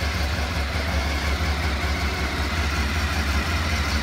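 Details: Honda RC30 VFR750R V4 after a complete engine overhaul (camshaft drive train, bearings, crankshaft with worn sprocket, cam drive gear, broken camshaft and gaskets replaced). Cold, just started, a little choke: smooth, even low rumble with no knocks or misses. Normal, stable idle.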